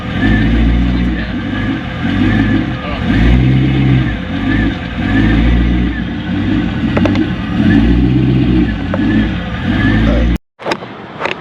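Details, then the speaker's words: Chevrolet Corvette C5 just after leaving the mechanic shop, check engine light on: lumpy, uneven idle surging and sagging, barely staying lit, bogging badly on throttle; rough idle and bogging, cause unknown. "mechanic shop has been acting hella bad the idol's been really off it's like bogging it super bad when i give it gas and so i have no idea check engine lights on um yeah it's not it doesn't sound right"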